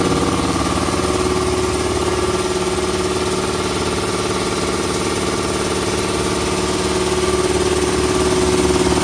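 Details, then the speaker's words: Puma 60-gallon 5 hp air compressor running after the tank drain valve was closed: steady even hum with a quick regular pulse of about four beats per second, no knocks or rattles, really quiet; normal running. "Actually really quiet. It"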